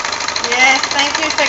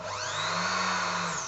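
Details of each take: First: Janome sewing overlocker with a slipping drive belt, test-run after the belt was tightened and before the remaining screws went back in: fast, even mechanical chatter with no slipping or squeal; the belt drive now runs steadily. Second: Janome sewing overlocker with slipping drive belt: motor whirs freely, pitch rising then falling over two seconds, no stitching sound as the machine isn't driven; slipping belt.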